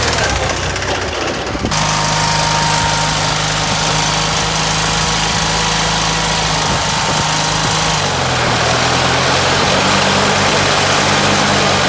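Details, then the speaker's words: Case 446 "Big Wheel" lawn tractor twin, barn-stored several years, after removing carburetor air-filter screws that fell in and held valves open: steady even popping, settling to slightly lower idle, no misses or knocks; normal running. "That's a slick little lawn tractor. Well, my friends, there you have it. Another successful Will It Start? Yep, it did."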